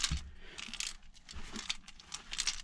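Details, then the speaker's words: Yamaha Blaster ATV with a locked-up bottom end, stopped and partly disassembled: irregular metallic clinks and jingles as it is shifted, loose pieces rattling in the lower crankcase after something big blew up inside. "oh yeah there are all kinds of pieces rattling around in the lower part of this motor something big blew up inside"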